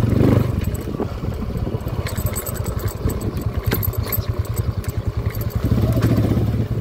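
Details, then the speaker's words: TMX 155 motorcycle with a noisy engine, on a test ride after a new clutch set: a steady engine putter rising and falling with throttle, with the earlier clutch whine gone; clutch running clean, with a cracked valve guide found later. "Okay test drive natin ulit yan Let's go primera swabeng swabe na mga kao wala n halinghing yung panggilid all goods"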